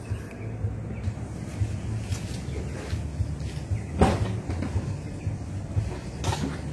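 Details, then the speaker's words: Petrol car engine started and idling: catches and settles into a steady low even idle with no knocks or misses; normal healthy engine. "Ini suara mesin mobil dalam kondisi normal ya teman-teman ya"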